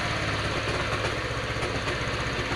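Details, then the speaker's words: Honda Vario 125 FI scooter after electrical wiring work: it starts after a couple of failed attempts and settles to a quick, even putter at steady idle, with no misses, rattles or hunting; the engine runs healthy. "Alhamdulillahirobbilalamin. Lihat, sudah hidup."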